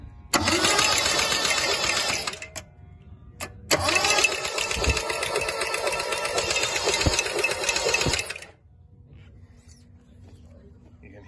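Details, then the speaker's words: Isuzu Bellett GT-R being revived: sharp metallic ticking, about four a second, over starter cranking before spark check; something rotating seems to be touching something, possibly a fan blade. "a dink dink metallic something sounds like it's touching something else could just be like a fan blade"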